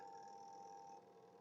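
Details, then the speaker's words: Washing machine spin motor powered but not turning: faint steady electrical hum with no spin-up; fault in the motor or its capacitor. "Spin काम नहीं कर रहा है। Spin motor से भी एक आवाज आ रही है। यह स्पष्ट है कि मोटर तक बिजली पहुंच रही है , लेकिन वह चल नहीं रही है।"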